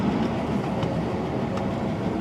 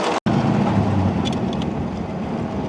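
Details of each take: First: 1936 Buick Special Series 40, 233 cubic inch 93 HP engine with 3-speed manual, running on ethanol fuel: under acceleration it runs smoothly with a faint light clicking that grows louder on throttle, source not identified. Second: 1936 Buick Special Series 40, 233 cu in 93 hp straight-eight, 3-speed manual, driving: steady, even engine drone under road and wind noise, no knocks or stumbles; slight clicking louder under hard throttle; runs smooth.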